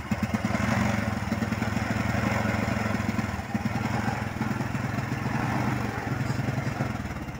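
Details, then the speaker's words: Honda Supra X125 motorcycle with a spark plug fitted about 5 days ago: the small single chugs and stutters unevenly at low revs, stumbling and misfiring on throttle, hard to start and stalling; suspected rich running and flooding, spark plug to be checked. "tangan motor Honda Kisma ini kendalanya adalah berebet e gasnya tidak stabil ya Dedet Dedet Dedet gitu E kalau tarik gas itu berebet kalau buat jalan pelan Ini e nyendat-nyendat ya tidak stabil susah hidup"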